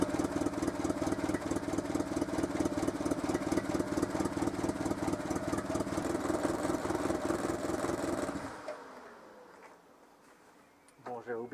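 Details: Renault Super 5 idling after a head gasket replacement, coolant reservoir between min and max; even, regular idle beat for about eight seconds, then switched off; smooth with no knocks or misses; normal idle.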